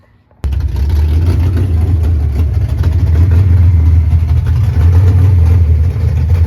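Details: 1989 Ford Mustang GT Fox body V8 after bad TPS replaced, base idle reset and timing still to do: fires up and holds a deep, fairly steady idle near 900 rpm, only slight unevenness, no mechanical noises.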